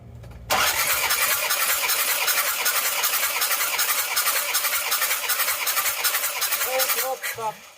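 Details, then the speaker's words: Isuzu Panther 2.5 diesel, compression test on cylinder 3 during check for owner's weak-power complaint: even, regular cranking pulses with no weak beats; reads 26–27 bar, still very good condition. "ini 26,27 masih sangat bagus juga jadi masih masih dan kondisi yang baik"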